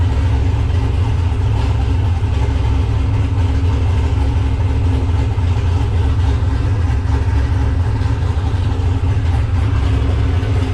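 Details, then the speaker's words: Nissan Patrol Y60/GQ SWB with a turbo LQ9 6.0 iron-block V8 (Camtech turbo cam, Holley Terminator X), dead cold after sitting two days, exhaust not yet complete. Steady, deep, lumpy cam idle with no knocks or misses, healthy. "so yeah sounds really good really happy with it but i won't piss off the neighbors too much"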